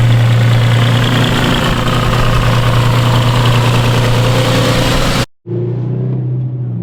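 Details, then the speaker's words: Petrol engine idling while warming up: deep raspy drone with a loose puffing edge from a remaining exhaust leak, partly fixed and formerly much worse. "I hope y'all can hear me pretty well over the exhaust leak that I have. Like, it was way worse. I fixed it, but it's still an exhaust leak in there and you can sort of hear it."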